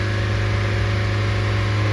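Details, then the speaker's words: Mazda Miata idling stuck high at about 3000 rpm after restarting with the cleaned intake air temperature sensor: constant high-pitched hum with no hunting. P0118 followed, with the coolant temperature sensor reading -40F, meaning no signal to the ECU. "And there we go. It then jumped to 3000 RPM. Jumped up."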